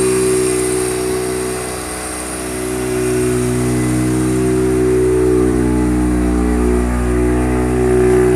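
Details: Mazda RX-7 FD3S rotary, first start after rebuild: smooth even rotary buzz holding steady with a slight rev rise near the end, no knocks or rattles; normal running.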